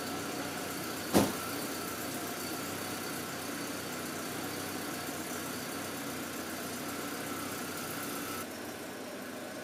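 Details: Volvo 240 first start after months off the road for water pump, timing belt, thermostat, B cam, adjusted shims and Redblockpowered ECU/EZK: sharp catch, then quiet even idle with nice even pulses, no misfire, stumble or knock, nothing leaking; normal idle after start.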